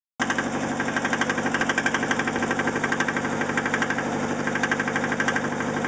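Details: 1991 Nissan 240SX idling with a steady, hard knock keeping time with engine speed: rod knock.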